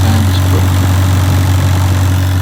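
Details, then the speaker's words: 2015 Citroen C4 Grand Picasso 2.0 BlueHDi diesel automatic, after replacing the damaged radiator fan control module: steady, even low idle hum with a smooth fan rush over it, no surging or rattles; fan and AC working normally. "And now let's start the car and see if it's cold air and the fan is working or not."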